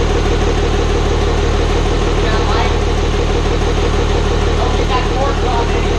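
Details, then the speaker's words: Hybrid 5.9/6.7 Cummins diesel swap, first start-up after the build. Steady idle with a faint regular tick about three per second from the front valve cover; builders suspect valve lash needs adjustment, not confirmed. "overall it sounds good sounds like we might need a check valve lash again up front there's something in the top of the valve cover that's kind of taken a little bit"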